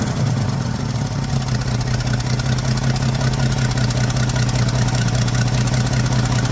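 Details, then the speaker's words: 1979 Ford F150 shortbed 4x4, 300 straight six with new carburetor, started after sitting 4 years: rough-edged idle with a fast puffing tick, two or three a second, over the low drone; owner says clearly an exhaust leak somewhere. "clearly has an exhaust Le [Applause] somewhere crusty buddy"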